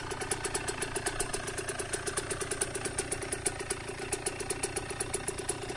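Crisp, even two-stroke idle with steady popping about seven or eight beats a second, no knocks or rattles; engine running healthy.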